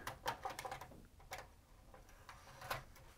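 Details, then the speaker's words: Sony MiniDisc deck after transformer swap, first power-up: quiet light clicks and whirs as the disc is drawn in and the head seeks; disc reads and plays fine through headphones. "disc will it read it yes it will I'll just plug in the headphones since this model has a headphone jack and yeah that is playing fine"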